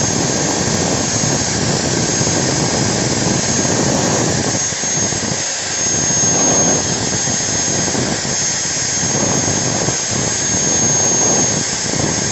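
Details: Modern M-2300B and Maktec MT90 stator-combination angle grinder, test run with the lower body off: a steady, even high-pitched whirr with no catching or stutter. No sparks, rotation counterclockwise as intended. Normal running.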